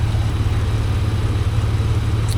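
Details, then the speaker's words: 2005 Jeep Wrangler TJ 4.0L, at full operating temperature, idling: loud steady low buzz from under the hood, goes away with AC on or throttle; owner first suspected a pulley, crankcase vent tube to intake manifold (PCV hose) ordered — vacuum leak. "Today we are trying to work on a problem that I've been having where when the Jeep gets warmed up to normal operating temperature, I start getting this really loud buzzing noise coming from under the hood."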